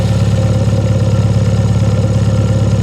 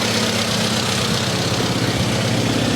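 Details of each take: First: Engine with SU carburettor, warmed up, idle mixture set by AFR gauge at around 1000 rpm: steady even low exhaust beat with no puffing or hunting; mixture correct, normal idle. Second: SU carburettor engine at about 1000 rpm idle with the mixture screw turned far out, AFR around 16–17: loud, uneven, slightly hunting idle; runs rough because the idle mixture is too lean.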